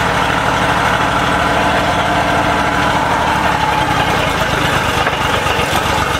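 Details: Honda BF30 outboard, already running rough at idle: in gear it makes a rough, pulsing knock under the engine note, sounding normal in neutral; owner hopes it is only a linkage adjustment, not confirmed.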